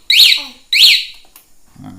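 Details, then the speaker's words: 9Nine A1 motorcycle alarm with 5-pin relay on a 2020 Honda Beat, locked by remote and bike shaken: two sharp shrill chirps about half a second apart as the vibration sensor trips; vibration-sensor alarm triggered. "Jadi kalau motor mengalami gangguan dia akan bunyi ah"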